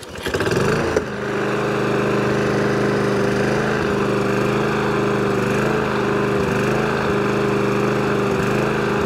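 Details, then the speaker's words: Briggs & Stratton engine on a lawnmower, very warm after running, hunts and surges with mild rises and falls in revs. It has sat for two years and was given a new spark plug and carb spray; the fix targets its bowl-nut jet carburetor. "so there you go hunting and surging so it's not aggressive aggressive but it is rather annoying"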